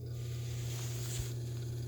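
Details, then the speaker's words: Leslie Model 25 speaker cabinet motor, bench-tested on a wooden bench with rubber grommets via a rigged power cord; steady, even low hum with no knocks or wobble; the only noise is the bench, motor is good. "and as we can see it's fine it's perfectly imbalanced it's quiet only reason you're hearing at all is because it's sitting on a wooden bench mounted with those rubber grommets it will be pretty much silent in operation so the motor is good"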